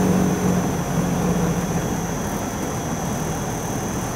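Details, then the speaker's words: Hitachi Yutaki S 14 kW heat pump outdoor unit (RAS-5WHVNP): the compressor winds down almost to zero, apparently because domestic hot water heating has ended. Steady low hum with a faint fixed tone. Normal ramp-down. "zwalnia praktycznie do zera bo my chyba zakończył się proces podgrzewania ciepłej wody użytkowej w środku łóżku"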